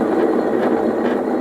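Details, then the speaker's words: Lawn mower deck kept outdoors year-round, greasable spindles not greased: steady rough gritty rasp with no clear rhythm as the spindle turns; worn, dry deck spindle bearing. "uh it's think sets out in the weather all year I don't have a shed to put it under and uh I wasn't greasing like I should"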